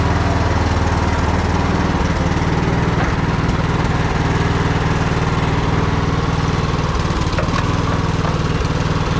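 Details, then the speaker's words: Troy-Bilt Bronco riding mower, single-cylinder engine, unstarted for about a year and running on old gas after choke: even, steady thrum at about three beats a second with no misses or surging; running surprisingly well. "not running half bad for sitting so long. Old gas in it."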